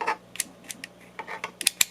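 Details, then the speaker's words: Craftsman multimeter rotary dial after teardown and cleaning of contact pads during reassembly: crisp, clean, separate detent clicks through positions with no scratch or grit; switch sounds much better than before cleaning. "you can already feel the i can you can already hear the switch sounds a lot better than it did because i cleaned it out"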